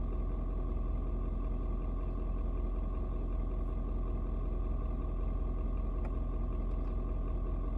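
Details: Ford Super Duty 6.7 diesel, cold start at 56°F: deep, steady rumble with even low clatter and no misses, should mellow out once warm; normal cold idle.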